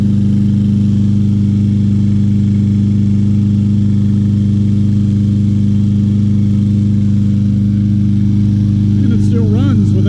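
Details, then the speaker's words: 2020 Craftsman M320 self-propelled mower, 163cc Briggs & Stratton engine, given away as a non-starter, started without carburetor cleaner despite a clogged air filter: loud, even drone at steady speed, no misses, knocks or surging; normal running. "that's one of the best running"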